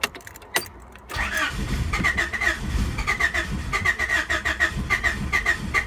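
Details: 1992 Honda Accord, sat for a while, about 332,000 km, check engine light on: steady starter cranking about three and a half turns a second without catching; crank no start, owner suspects coolant temp sensor.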